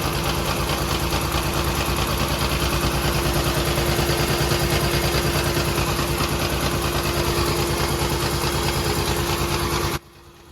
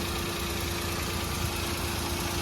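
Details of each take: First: 2013 Maruti Alto 800 misfiring, barely drivable with AC on: uneven lumpy idle with a heavy thump about three times a second; dead first cylinder traced to a failing ignition coil. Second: Maruti Alto 800 after replacing the cylinder 1 ignition coil to cure misfiring: smooth, even idle with the AC on, no stumble or miss; normal idle.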